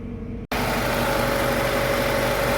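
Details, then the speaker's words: Mazda 323 Familia with B6 twin-cam conversion, first start in five years, cold, heard under the bonnet: it settles straight into a smooth, even idle with a faint steady whine; runs healthy. "Listen to that thing purr away."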